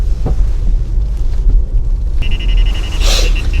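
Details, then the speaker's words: Ford Bronco rear after swapping FOX 3.0 shocks back to factory shocks: only dull road rumble and soft thumps over speed bump, no metallic clunk or rubber squeak; noise traced to FOX shocks internally. "现在换了原厂的避震了，完全没有任何的异响。"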